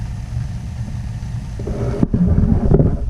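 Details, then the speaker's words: Gas boiler after cleaning, cracked smoke pipe section replaced for CO leak and chimney re-cemented, firing after pilot lit: low soft roar builds and settles, no rattles or whistles; burner running normally. "Oh, I hear it. I hear the magic. Oh, look at it, baby. I love when the heater fires up."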